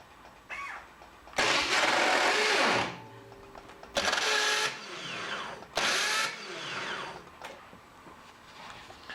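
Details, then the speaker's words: Starter pinion grinding harshly in three one-second bursts on a damaged flywheel ring gear of a BMW Authority motorcycle; original starter had no alignment pin, damage typically from starter poorly torqued or misaligned; flywheel replacement needed. "if so you need a flywheel um this damage is frequently caused by the starter being removed at some point and not torqued sufficiently or not aligned like the alignment pin missing"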